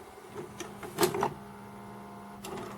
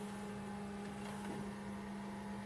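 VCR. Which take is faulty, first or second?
first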